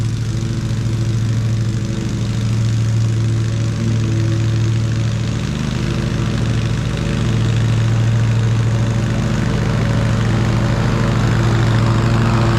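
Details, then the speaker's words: Ariens riding mower, model 93606800/A25KH54, after drive belt replacement: steady engine drone at constant speed, no squeal or slap; belt that was noisy before now runs smooth and quiet. "I could hear that belt making noise before and now it was good and smooth. So, I think this one will be good to go for another summer at least."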